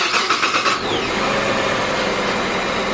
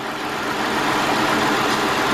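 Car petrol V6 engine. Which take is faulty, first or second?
first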